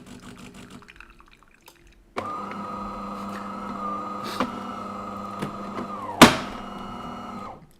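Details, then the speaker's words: De'Longhi ECAM23420 coffee machine that spills coffee after something crunched and a spring fell out: steady pump hum through the brew cycle, then one sharp loud crack near the end; brew unit suspected, not confirmed. "chyba już wiemy o co chodzi jak mnie przestraszył pierdzielony Słyszeliście widzieliście aż podskoczył i ekspres"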